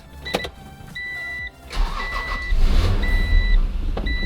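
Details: Acura NSX NA2, older car, after fitting a new battery when it would not start: chimes and clicks, then starter catches and engine fires into a strong, steady idle; clean start.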